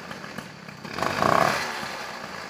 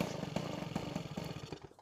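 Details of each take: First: Peugeot 103 SP moped, first start after wiring a DD engine: crisp two-stroke popping at a quick, uneven idle of about three beats per second, settling after a short rev, left to warm up. It starts and runs normally. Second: Peugeot 103 SP moped with a newly wired DD engine: high two-stroke buzz with quick popping exhaust pulses, then the revs fall away. It seems to pick up too early. The owner is asking why; the cause is unclear.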